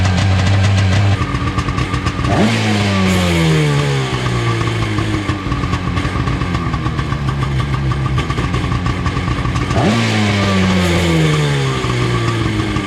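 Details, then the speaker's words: 1995/96 Seadoo XP 800 two-stroke after a starter repair, during carburetor tuning: crackly idle with two quick throttle blips that climb and settle back cleanly, a normal, healthy idle. "I don't know, it seems pretty happy. I kind of want to take it out and just run it out."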